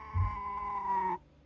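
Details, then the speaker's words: Matrix HP2001 brushed DC motor coupling kit on its DC driver module with speed at max: a loud, steady high-pitched squeal holds about a second, then cuts off as the motor starts turning. Cause of the scream unknown. "So it just screamed, and then it went. But that was at max speed, so I don't know."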